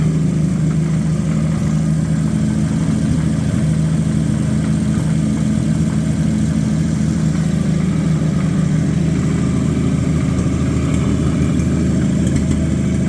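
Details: Abandoned Chevy 216 inline-six from a 1950 Chevy 1-ton truck, run on used filtered oil through a couple of heat cycles: rough, chuffing idle with an uneven beat and a dull knock underneath. Misfire plus bottom-end noise.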